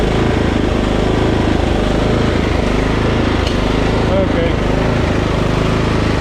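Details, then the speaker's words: Husqvarna LT 1538 riding mower, Kohler CV15 single-cylinder with dirt in the carburetor: loud beat hunting, swelling and sagging, clearing briefly when mixture is richened; quits after mowing a while; engine surging from dirty carburetor, carb cleaning planned. "okay now I still don't know if it's charging but I'm convinced that we're having a fuel issue usually hunting like that is a fuel issue"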